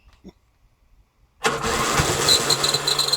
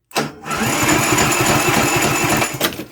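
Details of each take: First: Briggs & Stratton engine on a Yard King mower, after fuel priming with the air filter cover off: electric starter spins the engine at an uneven chug, stops, cranks again, but it never catches. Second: Briggs & Stratton engine on a Yard King mower, starter jumper-cabled directly to the battery: brisk, even cranking with steady compression chuffs about three or four a second; the starter works fine.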